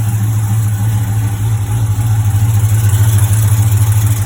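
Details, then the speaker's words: HEMI V8, first cold start of the day: fast, fairly regular light tick over the deep rumble at idle; owner hears it at the driver's side manifold/header bolts or a gasket, exhaust leak checked; source unconfirmed. "Sounds like it's coming from here, or at least it does on mine. It always sounds like it's on the driver's side at like the bolt, the manifold, the header bolts, or maybe like a gasket."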